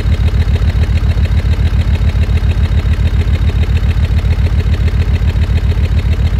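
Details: Land Rover Discovery 2 Td5 diesel idling below operating temperature: loud, lumpy chugging at about 3.5 beats a second. Temporary misfire that shortens as it warms; owner suspects ECU fuel cut or cold protection.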